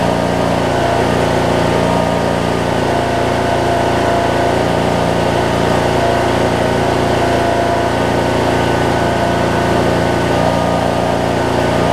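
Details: 2007 Craftsman LT2000 riding mower with Briggs and Stratton engine, sat a while and backfired when starting, now running; steady, even mid-pitched idle with a constant beat, no surging, popping or misses; normal idle.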